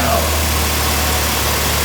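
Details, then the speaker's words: Mitsubishi 3000GT after replacing a starter that made noises on startup: engine catches at once and settles into a steady, even idle with no grinding or gear clash; starter repair successful, normal idle. "She started right up. Okay, and we did it twice already."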